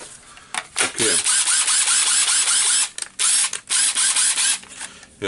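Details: Makita cordless drill from eBay spares or repair stock, reassembled after its carbon brushes were found too short and new ones needed: short trigger bursts give a steady high whir with no grinding or catching. Motor and gearbox run normally.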